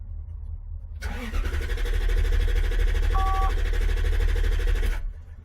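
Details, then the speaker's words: 1993 Lexus SC400 4.0, 105,000 miles: cranks steadily about three turns a second for four seconds and never fires; only 1.6 V on the red/green fuel pump control wire (ECM pin 22), no fuel pump drive from the ECM. "let's see if we have power here when i crank 1.6 volt"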